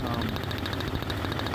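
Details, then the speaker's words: Year 2000–2001 Jeep Cherokee XJ 4.0L inline-six with coil rail, idling during spark plug replacement; sharp rapid ticking snaps over the idle as a coil boot spring isn't seated on its plug and the spark shorts to the engine block. "these springs rest on the end of each spark plug so we need to be careful when putting this back on because if a spring doesn't line up the spark will short to the engine block and that's honestly pretty scary what the clicking noise is"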